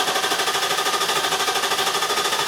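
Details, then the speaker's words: 2002 Infiniti Q45 4.5L coil-over-plug engine cranking with even, fast starter churn but never firing; scan data shows no RPM signal while cranking, P0335 set, no spark—failed crankshaft position sensor, fixed by replacing it. "All right, so as you can see with this test, we have no RPM signal, and it's a valid test to use for direction."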